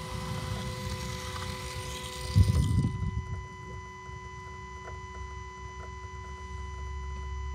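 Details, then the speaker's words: Range Rover L322 4.4 TDV8 at 200,000 miles, ignition on and engine off after diesel filter change, heard at front: faint steady electric pump hum with light irregular ticking as air is flushed out and the new fuel filter fills; normal self-bleeding. "yeah there we go there's that telltale sound of uh air being flushed out of the system as the new fuel filter fills up"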